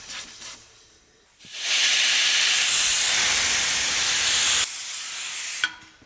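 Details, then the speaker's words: Volvo L60E wheel loader, engine running: sharp steady high hiss for about three seconds, compressed air escaping from a tiny hole in an air line; fixed. "I don't know, the second I close this off, I can't tear anything from here. But we do have an air leak here, so we're gonna fix that."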